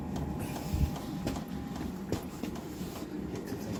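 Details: Diesel heater indoors on a Chinese power supply with battery backup, about 2 minutes into a cold start at 6–7°C, set to high: soft, sharp dosing pump ticks roughly every half second over a low fan hum; normal knocking only while lighting.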